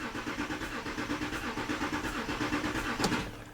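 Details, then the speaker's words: 2014 Audi Q7 3.0L diesel with P0087 low rail pressure and P0272 cylinder 4 balance codes, rough running, losing power: steady cranking, no start, faint puff each stroke heard from under the hood; suspected injector issue, compression looked okay. "you know I hear a little Puff coming from under the hood sounding like an injector issue"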